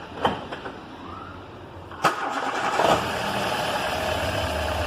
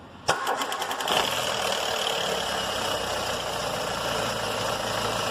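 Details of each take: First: Warm start of a Ford EcoSport with a Zetec Rocam timing-chain engine: a brief crank, then a clean catch and smooth, even idle with no rattle. The noise occurs only on the first start of the day, traced to a defective tensioner. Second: Ford EcoSport Zetec Rocam with a timing chain; tensioner deliberately drained to reproduce the customer's noise on the first start of the day: harsh metallic chatter for about a second, then an even idle. Timing chain rattle; fixed by replacing the tensioner.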